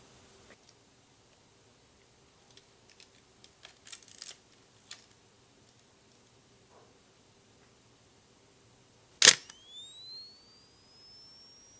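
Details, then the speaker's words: Pentax AF280T flash, revived after cleaning battery corrosion, mounted on a camera and held right up to the mic: a sharp snap as it fires, then a thin high whine climbing smoothly in pitch as it recharges. Normal capacitor charging. "okay I'm going to let this charge up again and I'm put this right up to the"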